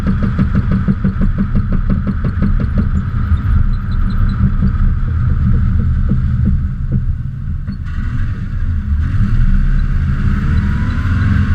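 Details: 2002 Subaru Impreza: sharp regular knocks, about three a second, slowing as the car slows under braking; owner suspects wheel wobble letting the brake caliper contact the wheel, not confirmed.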